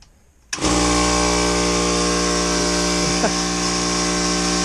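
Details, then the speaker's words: 20-year-old Coleman Powermate Black Max air compressor, bought in 2000: motor kicks on and settles into an extremely loud, steady, even drone with no knocks or rattles; normal running. "oh this coleman powermate black max that if i remember right i bought in the year 2000 right when i bought my first house um so it's 20 years old and it's beyond unbelievably loud"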